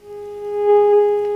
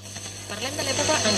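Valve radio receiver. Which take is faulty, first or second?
second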